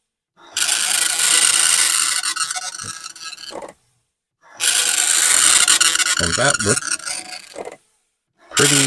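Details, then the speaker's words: Commodore 1525 dot matrix printer for Vic-20/C64, never tested before, self-test after realigning tractor-feed paper, noise cover on: harsh rasping print passes several seconds long with short pauses between lines; normal printing. "and it is making a feasible noise and in fact here [Music] these things are loud this was the thing that was supposed to protect us from the noise and indeed it does do a little bit"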